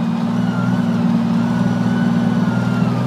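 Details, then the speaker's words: Jeep YJ with cold air intake, part throttle: faint thin whistle changing pitch with pedal position, not rpm, louder at speed, gone past a certain throttle position over engine drone; owner suspects intake or vacuum line. "it's not at RPMs it's at certain positions of the throttle which is fine but now there's a new whistle listen to this I'm alternating my my pressure on the pedal on the throttle to make it either higher pitch or lower"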